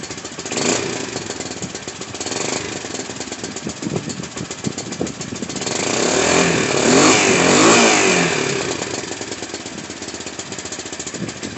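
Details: Baja WD250U ATV after carburetor cleaning for bad gas, started on jumper cables and warmed up; rough-edged single-cylinder putter about three beats a second, swelling with a throttle blip then settling; runs, normal idle after repair.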